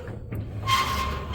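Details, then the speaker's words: Bede BD-4C homebuilt aircraft elevator control: two short thin squeaks as the control sweeps back and forth. Builder suspects metal pieces rubbing because one part is slightly out of line (about half a degree off center); no play in the control. "um the only uh issue is you can hear that slight squeaky noise um where and I'm almost positive it's that those pieces rubbing together"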